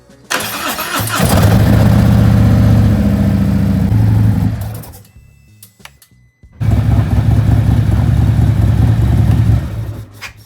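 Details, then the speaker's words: Harley-Davidson, about 30k miles, after replacing a dirty fuel filter that made the fuel pump loud: V-twin catches quickly into a steady, even lumpy beat, restarts smoothly; feels more powerful, normal running. "instantly it feels more powerful at least the throttle and also it sounds so good"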